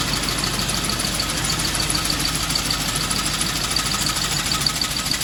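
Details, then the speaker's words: John Deere sickle mower on a Ford tractor with PTO on, after repairs: steady tractor engine with even rapid cutter-bar clatter and faint high whine, smooth; normal running. "It's been firing right up, running good. So happy to have that back working good."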